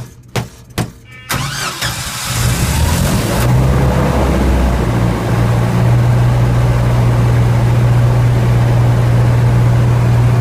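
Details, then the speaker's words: Sentinel 3 controller on a Gillette 40kw generator with its start wires jumped. Sharp knocks on the unit, then the engine cranks, catches and runs before winding down. The intermittent start is caused by a loose internal connection, traced to a bad relay and a toggle switch worn by vibration. "unit that's not good that means there's something loose inside so I'm going to have to take this apart to figure out what what the intermittent problem is"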